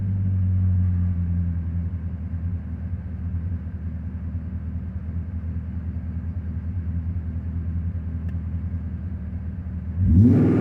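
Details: BMW M60B40 V8 with chipped DME and 7k rev limiter: steady deep rumble taking seconds to settle back to idle after each blip; owner suspects a vacuum leak, not confirmed.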